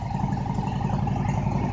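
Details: 2000 Harley-Davidson Road King Classic V-twin cold start at about 28°F, fired right up: deep loping beat at steady idle, evenly spaced firing pulses, no tapping or misses; normal cold start idle.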